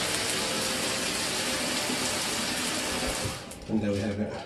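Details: Mira (Zora) shower after replacing the faulty solenoid valve that made flow stop and start intermittently a few minutes after switch-on: smooth, continuous water hiss with no surging or cut-outs until shut off; normal flow after repair.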